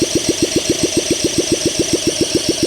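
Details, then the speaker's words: 1971 Honda SL125 single, previously seized and freed, long stored, cleaned carburetor, starting fluid, idle raised, weak battery; slow chuffing about six a second while cranking, never catches; owner suspects low compression and low battery. "Let's try that. A little combo plate, some juice and more idle. Come on. We could just be low compression."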